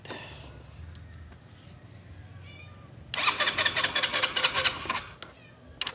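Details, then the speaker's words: Rusi Passion scooter that won't start, after swapping in a different spark plug: about two seconds of fast whirring starter cranking that never catches; no spark found at the high-tension wire next, suggesting an ignition fault. "Ayaw pa rin try natin kung may spark yung spark PL no lagay niyo lang sa ground yung spark plug"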